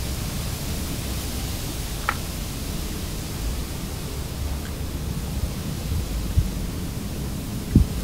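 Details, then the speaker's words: Whirlpool dishwasher that wasn't melting soap, after reinstalling the fill line and turning the water back on: steady, strong hiss of water rushing in, much faster than before the fix; normal fill flow. "i'm just going to test how well it fills fills up i can hear the water coming in there a lot faster than it was when i first tested"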